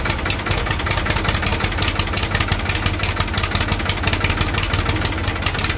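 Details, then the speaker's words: 1978 Ford 535 backhoe, Ford 201 3.3L three-cylinder diesel idling after valve adjustment: steady even clatter with a regular firing beat, no misses or odd knocks; runs smoothly. "now we can go ahead and fire it up and see how she runs"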